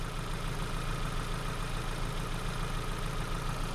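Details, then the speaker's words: Ford Focus after no-start, new plugs and oil change, code P0300 and flashing check engine light: idle with uneven stumbling beat and lope, cylinder one dropouts; multiple misfire. "when i scan the car tell me p 0 300 um multiple misfire right so this is what's happening with the new plugs in the vehicle"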